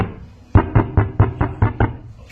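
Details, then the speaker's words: Klipsch active subwoofer after repair of a no-power, no-sound fault involving several problems: seven evenly spaced, clean, punchy deep thumps with no buzz or rattle; normal bass output. "Okay. So now it's fixed. You can hear it. Now you can see. So now it's fixed."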